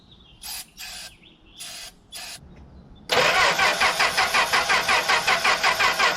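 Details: 1964 Plymouth Belvedere slant six, three-on-the-tree, sat about 20 years: short starter bursts, then steady cranking at about three pulses a second, never catches; leaky coil wire suspected, plug wires may need replacing; crank no start, possibly weak spark.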